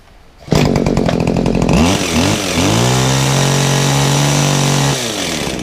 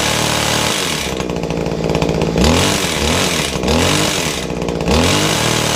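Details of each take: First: Kawasaki two-stroke hedge trimmer on 50:1 fuel, with an unadjustable carburettor: a couple of sharp blips, then a steady, even high-speed buzz with no stumbling; the owner feels it wants a bit more on the top end and may try leaner fuel. Normal running. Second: Kawasaki two-stroke hedge trimmer, primed and choked, gunk-filled: buzzes hard with loose metallic chatter and uneven revs that won't pick up, very smoky; rattle thought to be from the gears, muffler to be checked first.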